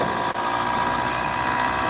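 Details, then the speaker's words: Motorized vehicle with a two-stroke engine on a test run after port work, climbing uphill. Buzzy, high-pitched drone holds steady and strong with no misfire or stumble, picking up well. Two-stroke engine pulling under load, port work giving a positive response. "pick up so we've got a positive response there with the port work"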